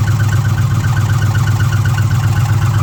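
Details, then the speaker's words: 2006 Ford F150 5.4L V8 with code P0016, bank 1, at warranty inspection: steady idle with light regular tick about two and a half per second from the valve train up top near cylinders 2 and 3; cause suspected, not confirmed. "In the valve train up top. And somewhere in this area, so 2 and 3."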